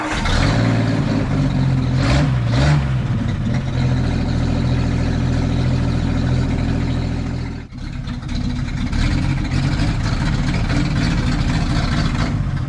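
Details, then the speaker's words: 1962 Ford F600 truck, sitting about 10 years, running with no muffler fitted: deep, loud, raw rumble swelling with the revs, dipping briefly, then picking back up; loud open exhaust, no muffler. "still no muffler so it's going to be super loud that's tomorrow's project"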